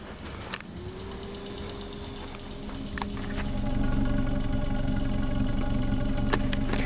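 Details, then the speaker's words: Toyota Corolla first started after wiring and ignition fixes and gas tank repair, on borrowed battery: very quiet, even idle with soft steady hum, no knocks or misses; running smooth, quieter than yard sprinklers. "it's still running it's just that freaking quiet my sprinklers in my yard right now are louder than this car"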